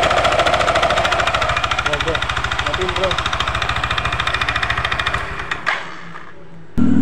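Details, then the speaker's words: Yamaha NMAX scooter: rough rhythmic clatter, about three or four knocks a second, until the engine cuts off; loose, slack CVT V-belt from worn roller housing and rollers, mistaken for crankshaft damage. "Nah, ini yang kedua, problem kedua ini di bagian P-belnya ini mengalami kendor ya atau longgar. Nah, ini juga bisa menimbulkan suara kemeladak ya, geledak seperti stang sekernya yang kena rekan-rekan."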